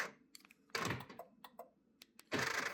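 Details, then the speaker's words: Audi A4/S4 B6/B7 Cabriolet glovebox with a non-working lock: short sharp clicks and buzzing whirrs as the lock actuator motor keeps trying to engage. Unplugging the actuator stopped the noise. "That noise. So what that noise is, it's actually unique only to the Cabrio. So what it is supposed to do is it's supposed to lock this box, even if it's in open position."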